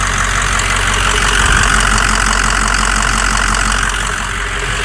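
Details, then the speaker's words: Diesel truck at warm-up idle, about 50 psi fuel and 60 psi cranking oil pressure, some blow-by puffing: loud clattering beat near 230 a minute over deep rumble; extra noise, source unknown, injectors seem okay. "definitely got some noise to it let's uh [Music] honestly it doesn't sound too bad"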